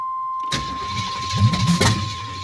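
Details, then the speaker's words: Long-stored Camaro project, new battery, timing just set, starting fluid used; cranks with uneven catches that almost take then fall back, won't start; owner suspects ignition timing still wrong and notes sticky gas pedal; fuel pump connector unfinished. "Almost. My gas pedal is sticky. I don't like that. And I'm not 100% convinced on the timing being right either, so I'm going to have to check that once more."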